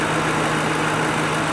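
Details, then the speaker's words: Parked-for-years 2005 police car, first run: smooth, even idle with a steady low hum, no ticks, knocks or smoke; an earlier noise is now gone, and the engine sounds healthy and runs perfect. "Runs perfect. And again, just like the other one, no smoke, no nothing."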